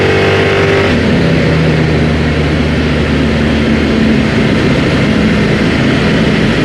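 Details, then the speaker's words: V8 Chevy S10 with new DIY 3-inch true dual exhaust, flux-core welded, TOTALFLOW 45264 mufflers, idle and revving: deep, even burble swelling cleanly with revs, no knocks or rasps; healthy engine, throaty exhaust. "Well, I don't know about you guys, but I think that sounds pretty darn good for inexpensive exhaust."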